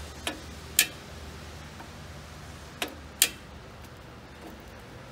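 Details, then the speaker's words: John Deere 770A motor grader sitting five or six years, fuel unchecked: two sharp single clicks about two and a half seconds apart on key bumps, no cranking; starter engages, engine not locked up. "I just always like to kind of bump the key a couple times just to make sure it's not locked up so here we go here's something click that's always good"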